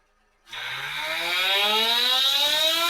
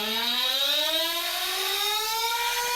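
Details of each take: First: ProTek-RC .21 Samurai RM nitro engine on a dyno, 4th heat cycle, OS TB02 pipe, 75mm manifold, Nitro Pro JTP fuel: high steady buzzing rev falls cleanly to a smooth idle; running well, normal return to idle. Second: ProTek-RC .21 Samurai RM nitro engine on dyno, 4th heat cycle, OS TB02 with 75 mm manifold, Nitro Pro JTP fuel; top end richened a quarter turn: high screaming tone wavering and rough, breaking up; running rich on top.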